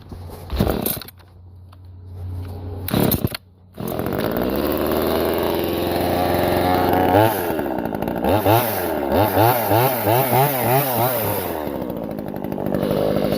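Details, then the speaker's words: New Vevor 12-inch 25.4cc top-handle gas chainsaw, first start after priming with choke on: a few pulls, then catches and runs clean, rising and falling smoothly with throttle blips; healthy small two-stroke. "not real heavy, pretty lightweight, man. Lots of power."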